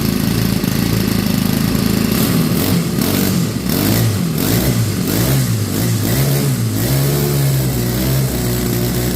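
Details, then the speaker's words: Craftsman WS 4200 30cc four-stroke weed eater after replacing its pump-style carburetor with an aftermarket one; started with no throttle after three pulls, idles then revs and settles cleanly without bogging. Previously hard-starting and bogged on throttle; normal idle and revving. "started after three pulls there's no bogging down so I'm happy with it"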